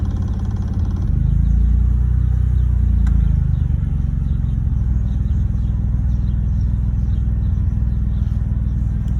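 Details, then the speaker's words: 2011 BMW 328i after the battery was disconnected and the ignition coils changed: low, lumpy idle with an uneven pulse of about three beats a second and a brief surge; rough idle persists, solenoids suspected, cause not yet known. "Okay, so okay, so we're gonna give it the final test and see what it does. Giving me that rough idle."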